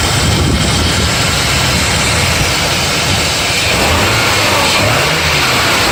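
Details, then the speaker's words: BMW E34 with M50 engine idling after replacing the belt tensioner mechanism (not the rollers) to cure a cricket-like chirp; loud, steady, even idle, no chirp or squeal from belt area, engine runs like clockwork: normal idle. "машина даем как слышите звук пропал мотор работает как часы"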